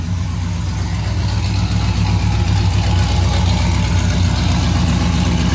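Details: A big V8 that had been backfiring and suspected of a timing problem fires up and settles into a deep, steady idle with a loping low rumble and no misses, with oil pressure good.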